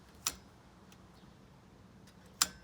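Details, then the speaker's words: 49cc motorized bike engine kit on a Granite Peak mountain bike, throttle cable to carb: two crisp light clicks about two seconds apart as throttle is flicked and snaps back; normal throttle operation. "and you should hear you should hear the throttle go up and down as a result it should make a little bit of a clicking noise and that's how to test that it's working"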